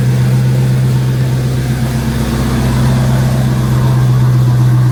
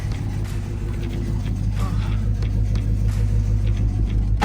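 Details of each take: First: Dodge Hellcat after tearing down to fix a rough idle misfire without codes, jump-started from a dead battery: deep steady idle burble with even beat and no shake; normal idle. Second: Dodge Hellcat with a rough idle and no codes, heard from inside: deep, lumpy idle with an uneven beat and shake; cylinders misfiring from closed-gap spark plugs.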